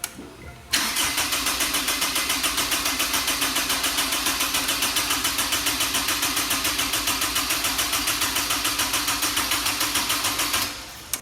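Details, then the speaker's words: Honda S2000 after engine swap, first start attempt: steady fast starter whirr about three and a half turns a second for ten seconds, never fires; no fuel out of the injectors though pump primes and wiring checked, cause not yet found. "guys so we are having a starting issue we're not getting no fuel out of the fuel injectors it is priming everything's good"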